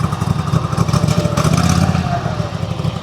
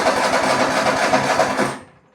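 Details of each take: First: Small single-cylinder mower engine, governor just adjusted (throttle wide open, governor turned fully clockwise) after incorrect adjustment following replacement: steady high speed with even low thump, then shutdown; normal running. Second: Lawn mower being verified during repair, cranked without the choke: a short burst of rapid cranking chuffs that fades out without catching; it won't start unchoked but starts with the choke.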